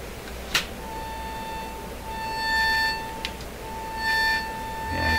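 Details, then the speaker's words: Airline tabletop radio model 62-264-425 with 30 mA in the field coil: a swept test tone near 900 Hz turns harsh and buzzy as volume rises, rattling distortion from a faulty speaker. "the volume up you can hear that terrible rattling distortion this the speaker is really a piece of junk"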